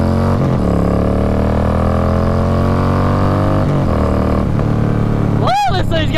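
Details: Harley Road King with a different air cleaner, riding on the road: deep, even V-twin thump climbing smoothly as the bike pulls. No knocks or misses; healthy engine.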